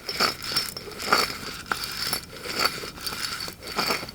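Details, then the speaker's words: 2008 Chevy Avalanche, over 325,000 miles, lifted with wheel spacers: removed wheel hub bearing turned by hand gives dry, gritty crunching in rough bursts; no grease, rollers shot; worn hub bearing, replaced. "You can see there's no grease in there. And the rollers are shot. Listen to this, guys."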